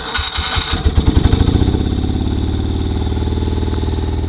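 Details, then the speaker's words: 1973 BMW R75/5 motorcycle, unrun since 2015, first start on electric start with choke, catches after uneven chuffs then settles into a lumpy idle; missing on one cylinder, cold exhaust pipe shows the dead one. "Alright, so it's missing on one cylinder. I got to find out why."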